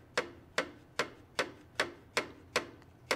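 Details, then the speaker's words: STIHL FS 91R trimmer engine that locked up in use, flywheel turned by hand: sharp metallic clunks two or three a second, rocker arm moves but piston does not move in cylinder, major engine failure. "clunking noise and I got a rocker arm I got some rocker arm movement here but my piston is not moving in the cylinder so that is not a good thing"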